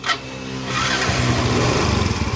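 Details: Yamaha Mio M3 125 after replacing a sticking non-original starter switch (4-leg relay) that kept the starter motor spinning with the key off: a brief starter whir, then it catches and settles into a steady idle with no hanging starter.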